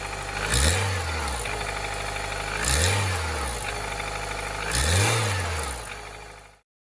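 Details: 2010 Nissan Versa at 114,000 km that sputters under acceleration, fuel filter checked OK: three stationary revs that swell slowly, sounding choked and strained with a rough rushing note; cause was clogged catalytic converters.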